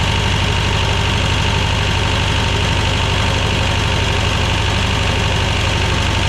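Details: 1985 Belarus 250AS diesel tractor, revived after sitting 8–10 years, after trying a fuel supply fix: steady clatter at an even regular beat with a firm low rumble; running normally.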